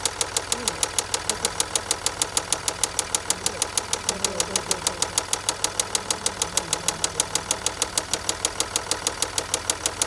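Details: 2011 Range Rover Sport diesel after turbo replacement, fault code P1247: sharp regular metallic knock about three a second at idle; earlier heavy smoke, shuddering, grinding, Restricted Performance warning, seemingly worse when warm, oil level unreadable.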